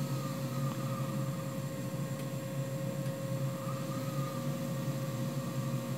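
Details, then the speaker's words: New 3HP ATC spindle on a Hitachi WJ200 VFD, turning very slowly after 12,000 rpm. Steady low hum with clean even motor tones, no knocks or grinding; current looks good, healthy. "be able to run this thing really really slow I don't know how much torque it actually has it that speed but it is churning and the current looks good"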